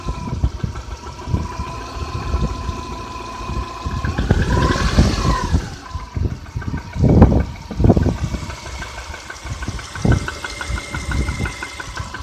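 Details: Subaru Outback EJ251, 5,000 km after a major overhaul, Liqui Moly 5W30 oil: irregular sharp knocks under a rough idle, some louder than others, easing slightly when warm; engine knock, cause unknown.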